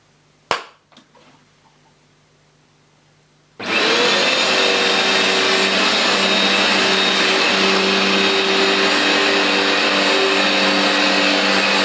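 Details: New replacement Vax Dual Power Total Home carpet washer on a carpet piece, shampooing forward then extracting on slow backward passes: handling knocks, then motor starts with a loud, steady whirring roar at constant tone; normal running.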